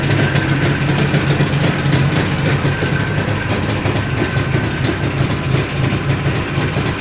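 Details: Jawa 638 two-stroke under build with a tired cylinder-piston group at idle: uneven idle with dull low knocks under a loose metallic rattle; crankshaft knock and chain rattle.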